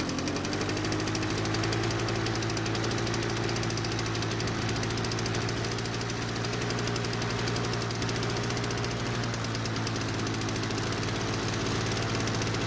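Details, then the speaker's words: 2-stroke Lawn-Boy mower starts and runs but engine speed stays too high and can't be changed; steady high buzzing drone never drops back, forcing faster walking on self-propel. Engine speed too high. "In today's video, we look at this Lawnboy mower, and the problem is that it starts and runs, but the owner is complaining that the engine speed is too high and they can't change it."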